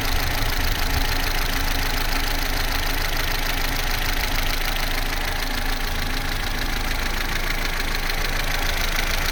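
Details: Vauxhall Corsa C, Z14XEP petrol engine, 86,000 miles, cold idle from start-up to about 6 minutes: a steady, smooth petrol beat with no tinny chain rattle yet. The timing chain rattle only becomes pronounced at full operating temperature.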